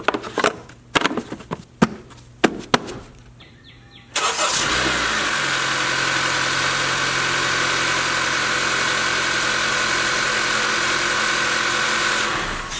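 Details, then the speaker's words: A few clicks, then a smooth, even idle with no timing chain rattle on start-up of a 2018 Honda CR-V 2.4L Earth Dreams, 150,000 miles, after replacing the timing chain tensioner and prepriming oil pressure. "When I started it up the first time, I didn't hear any rattle. Fired it up again just to ensure we replicated our results, and I don't hear any rattle, so this is a good repair."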